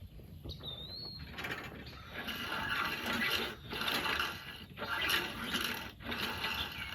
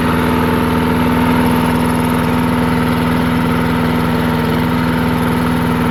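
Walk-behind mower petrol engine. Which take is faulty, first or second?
first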